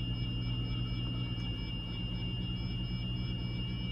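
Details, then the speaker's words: 2003 Audi Allroad 2.7T at cold start, only early in the morning: a thin high whistle holds one fixed pitch over a low steady idle, not changing with rpm, lasting about two minutes then stopping; fine rest of day; unexplained whine. "give it a second you know how it doesn't change with uh rpm continue to go like this for about two minutes and and only in the early morning when i first started the rest of the day is completely fine"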